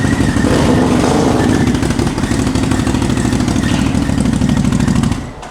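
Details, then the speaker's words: 2021 CFMOTO CFORCE 800 ATV idling, moving by itself without throttle, with a faint thin squeal; worn primary clutch bearing causes clutch drag and prevents shifting until the engine is off and the primary stops spinning. "so that squealing noise and not being able to shift is your little bearing on the primary clutch"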